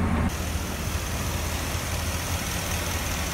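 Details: 2014 Ford F-250 Super Duty 6.2 V8, started after the broken exhaust valve spring was replaced. A deep, steady idle with an even beat and no stumble or ticking: running smooth and healthy after the repair.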